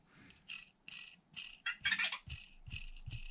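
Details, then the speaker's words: Losi DB Pro differential bearing spun by hand after cleaning; short dry gritty rasp instead of a smooth whir, bearing worn and rough, to be repacked and reused. "can hear it just doesn't have that smooth sound to it anymore so the bearings are junk"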